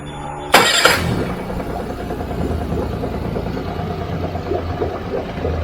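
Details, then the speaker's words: Suzuki DF30A outboard after maintenance, run nearly 10 minutes until thermostat opened (temp rose to 160°F, settled 147°F): clunk as it catches, then quiet steady idle, no hunting, knocking or leaks. "you want to start it up and run it. And you want to run it till it gets hot enough so that thermostat opens, so you can tell if that's going to leak or not."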